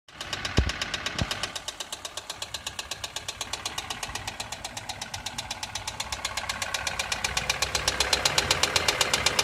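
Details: Toyota 2SZ-FE engine, valve train ticking: sharp, even ticking about four per second at idle, quickening slightly with revs; suspected cause clogged oil passages starving the hydraulic lash adjusters of oil, leaving excessive valve clearance.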